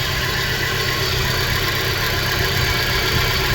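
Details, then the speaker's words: 2013 Dodge Dart after an engine replacement, P0303 code: slightly uneven idle with a faint irregular stumble; after swapping the cylinder 1 and 3 coils, the misfire moved to cylinder 1 and the faulty coil sparks outside the cylinder. "coils I think we can see the problem there that number three Cole is sparking somewhere other than in the cylinder and as you can see the misfire Trav the number one cylinder yeah there's something bad wrong with that coil"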